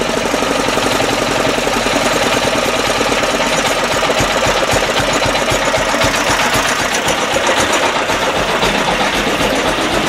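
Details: 10hp LaunTop Chinese Yanmar-clone single-cylinder diesel, hard cold start around -4°C, now warmed up after about 5 minutes of running: brisk, even clatter of about four beats a second with a little smoke at idle; normal diesel idle.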